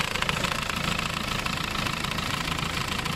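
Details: Diesel engine run briefly without coolant on fuel fed from the lift pump by a hose: fast, even idle clatter with a steady ticking beat and no misfire; starts and runs normally.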